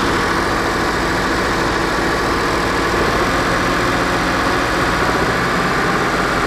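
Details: BMW N63 V8 held at 2,000 rpm during intake valve carbon cleaning for a persistent cylinder 7 misfire traced to leaking intake valves: steady raised-rpm roar with a slightly uneven, lumpy pulse underneath.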